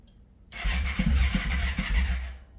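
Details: 1996 Yamaha Royal Star Classic 1300 motorcycle, back on the road after sitting two years since a crash, with a bad kickstand kill switch cut and wired around. Slow, uneven cranking with a few weak catches that never become a steady beat; it almost fires but won't run. Hard starting.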